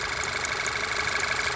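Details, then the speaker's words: Car idling with a steady airy hiss from a hole in the PCV valve/oil separator, which sucks in air. A scan pulled a code for the oil separator, and the part needs replacement. "hole right there and if you put your thumb it's actually there's a suction it's sucking in and there's a small hissing noise that you can hear so this piece needs to be replaced"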